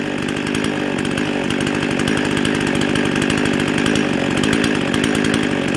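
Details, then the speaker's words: Husqvarna 55 chainsaw that bogged when cutting and ran hot and fast: it screams at a high, hard idle with a thin raspy note. It runs lean from an air leak, diagnosed at the carburetor gasket. "sounds like she's running a little bit fast"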